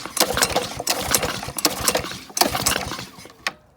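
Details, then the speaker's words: Honda GC 190cc single-cylinder engine deliberately hydrolocked with liquid and fed dirt, spark plug refitted: several quick pull-cord strokes with rattling clatter, each dying off without catching; cranks but won't start. "seems like it doesn't want to start"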